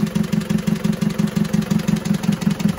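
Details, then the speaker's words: Car engine running rough after an engine overhaul: lumpy idle with about five loud, uneven pulses a second. Releasing the injectors one by one gave no change at number two, so that cylinder is misfiring and its injector nozzle is to be checked. "suara ini ya Nah ini kan pincang ya pincang suaranya ini akan kita lepaskan tekanan nonya satu persatu"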